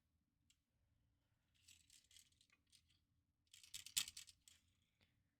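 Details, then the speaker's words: Xbox 360 Fat part tipped back and forth during assembly: dry, light clattering bursts from something small loose inside, like a ball bearing; suspected to be a gyro, not confirmed. "Cuz there's like There's like a proper rattle. So, that must be one of these that actually might be a gyro."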